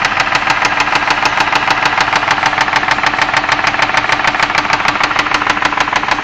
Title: engine knock on my 2001 ford escape v6 3.0L